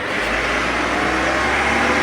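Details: Backhoe that would start then die, after replacing the faulty loose ignition switch: steady, even engine run without surging or dropping out; running normally.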